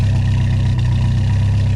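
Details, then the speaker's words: 1987 VW Jetta Mk2 four-cylinder petrol, just converted from a 3-speed automatic to a 5-speed manual, original exhaust kept: a steady, even low idle rumble with no knocks, misses or rattles. Normal idle. "It would have been cool to swap the entire exhaust in the car, but she still sounds good."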